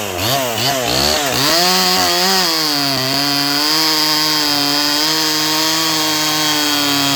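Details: Holzfforma G255 (MS 250 clone) chainsaw with Chinese carb after high-speed tuning, cutting maple: clean, high two-stroke scream that climbs and holds an even pitch through the cut, no bogging or stumble; running well.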